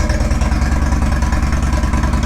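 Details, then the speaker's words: Indian Roadmaster V-twin, first start since Thanksgiving: an even, lumpy idle with a steady low beat and no knocks, ticks or misses. A normal, healthy idle. "There it is. So I'm happy to have Rhonda running again."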